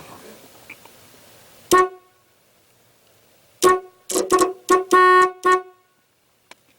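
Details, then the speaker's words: 1982 Camaro that sat unused for two decades. With a ground wire firing the relay, about six loud, clear, even horn blasts sound. The circuit from the relay to the horn now works; the steering-column contact is still being freed. "I've got from the relay to the horn working now"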